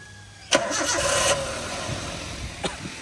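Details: Toyota Avanza after repair work: valve clearance and timing chain reset, thermostat fitted, hoses and seals replaced, worn camshaft reused. A sharp crank catch, then the engine settles into an even, quiet idle with no ticking or knocking; a clean start.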